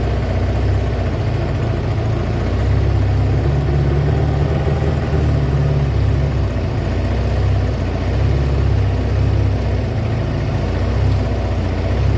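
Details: Kawasaki ZL600 warming up after fitting a new battery and air filters, with smoke coming off the exhaust. Deep, even V-twin burble holds steady at idle with no knocks, misses or rattles: a normal, healthy idle.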